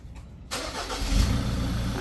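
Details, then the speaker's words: Ford Ranger 2.2 T6 automatic diesel starting: it catches after a quiet moment and settles into a deep, shaky, stumbling idle with white exhaust smoke. A cracked EGR cooler tube let coolant into the cylinders; the fix is removing the EGR system. "แล้วก็เครื่องมีอาการแปลกๆแเสียงแปลกๆนะมีอาการแปลกๆเครื่องมันจะออกเหมือนอาการสั่นๆเครื่องเหมือนเดินเดินไม่เรียบเดินไม่อ่าเดินสะดุดนั่นเอง"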